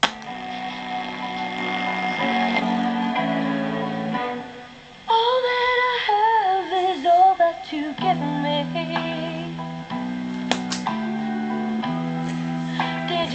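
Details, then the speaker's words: Pye TRS-2000 AM/FM radio after the AM bass distortion mod, with the AGC filter capacitor raised from 10uF to 22uF, playing music: full, steady bass notes with no fuzz or breakup; clean audio output. "but anyway you can hear that it's reason to be clean clear base audio in this radio"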